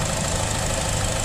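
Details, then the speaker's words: 2015 Buick Encore 1.4L Ecotec, many check engine codes, said to run smooth cold: uneven, lumpy idle with a shaky stumbling beat; intake-covering test makes mechanic suspect fuel rather than misfire; rough idle, cause unconfirmed. "I think it's fuel. I don't think it's a misfire, dude. Yeah, that does sound related to bad."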